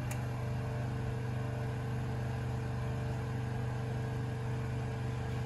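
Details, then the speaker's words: Lincoln Mark VII air suspension in diagnostic mode, left front test: constant low drone of the compressor running on as it struggles to raise the corner, which dropped further; a slowly leaking solenoid suspected, unconfirmed. "you can see it's kind of struggling to come back up and it dropped a little further on this one"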